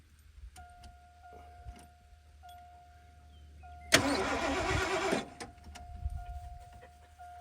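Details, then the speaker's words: 1980 Lincoln Continental found in a salvage yard, first attempt to revive: about a second of steady, even cranking under a repeating chime, no weird noises, clunks or pops; engine turns over normally. "turns over sounds really good turning over no weird noises no clunks no pops"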